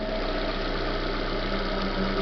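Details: Chevrolet Corsa Classic 2010 at idle: dry, constant scraping hiss over the engine, unchanged with the alternator belt removed; traced under the timing belt cover to the timing belt tensioner and water pump bearing.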